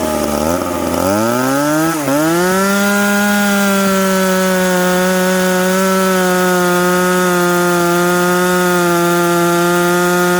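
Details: McCulloch Pro Mac 850 chainsaw with an expansion pipe, cutting two-year-seasoned hard oak at 10,300 rpm in the cut. Revs up quickly, then holds a strong steady high scream through the cut without sagging. Healthy chainsaw under load.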